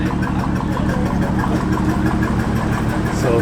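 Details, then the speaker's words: Cold start, no check-engine light: engine idles very rough and shaky, uneven lumpy pulsing about two beats a second; owner unsure it will make it home, cause unknown. "my buddy's gonna follow me you're gonna follow me home to see if i can make it this thing is idling like crap right now"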